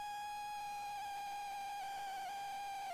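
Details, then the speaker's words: ZX Spectrum +2 grey tape deck loading an old unknown cassette: steady high loading tone that sags and wobbles in pitch, with a scratching sound; poor, unreliable tape signal, tape condition suspected. Cause suspected, not confirmed. "oh God that is bad it doesn't feel it just bad loading it let's have another try oh sounds like somebody's scratching"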